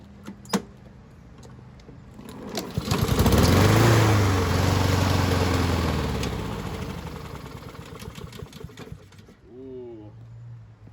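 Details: Husqvarna push mower from the trash, carb cleaned with spray: fires up and runs a few seconds, bogs when the self-propelled drive engages, then dies; clogged carburetor main jet starving it.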